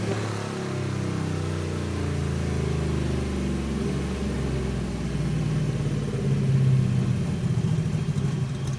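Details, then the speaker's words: Race car full-load dyno pull on slicks, after a flooded no-start was fixed with a replacement starter: deep heavy V8 roar holding strong, then the note lifts and roughens near the end as the slicks spin on the dyno. Engine healthy, normal pull. "[Music] so another pretty normal pull you'll hear it go towards the end"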